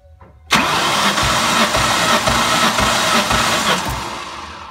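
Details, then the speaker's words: 2003 Ford Mustang SVT Cobra (Terminator) at 140,000 miles, compression test with all plugs out and throttle held open: even starter cranking with steady matched pulses about two per second, no firing; first cylinder reads just under 150 psi, healthy. "so we've threaded in our first end of here and we're going to go ahead and give it about five cranks"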